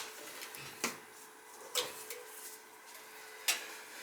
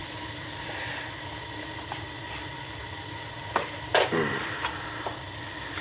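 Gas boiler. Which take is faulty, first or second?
first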